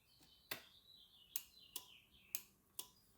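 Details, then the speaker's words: LS swap engine run stand, bench check with the starter disconnected and fuel pump off: cranking the key gives six crisp clicks as the starter relay pulls in and drops out cleanly. Normal relay clicking. "And we can hear it clicking, so it's working good."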